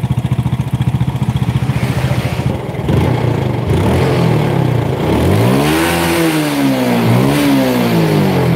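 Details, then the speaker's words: Yamaha Force motorcycle with low power: loose rhythmic clattering at idle that carries into the revs, traced to worn clutch housing damper rubbers. "nah yang kalau motor itu stasioner bunyi Pak karet koplingnya Pak"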